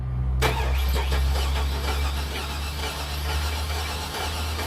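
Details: 2002 Chevy Silverado 5.3L V8 cranking with starting fluid sprayed into the air cleaner: starter spins the engine in an even, quick rhythm without firing; cranks but won't start, fuel, spark, timing or compression being checked.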